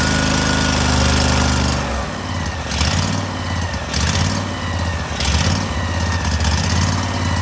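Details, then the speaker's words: Cub Cadet tractor, Briggs & Stratton engine, just after a carburetor cleaning, airbox off; catches and settles into a steady, slightly uneven mid-pitch run with a lumpy throb, choke working. "All right, we should be in pretty good shape. We're going to see if it runs. Want to make sure that choke works right. And it does."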